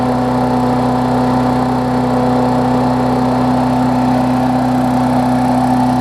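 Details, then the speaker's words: Briggs Classic engine on a Bolens push-mower deck with what is probably a Murray blade, after fitting the diaphragm and 10-15 minutes of running; the mower hadn't run in a while: smooth, constant mid-pitched drone at steady speed with no stumbling, knocking or vibration; running really well. "it's not vibrating either which is good it's running really good"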